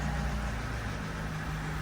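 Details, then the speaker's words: Vauxhall Corsa D scrapyard rescue with 91,000 miles, rusty sills and a failed MOT, on start-up: low, soft, steady idle hum with an even beat and no knocks or rattles as it settles; normal idle. "I'll do a start up so you can hear it. Sounds lovely."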